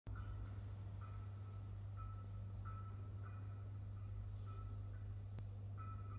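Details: Stairwell light on the first level of an apartment building, flickering: steady low electrical hum with a faint high tone chirping on and off every second or so; buzzing light fixture.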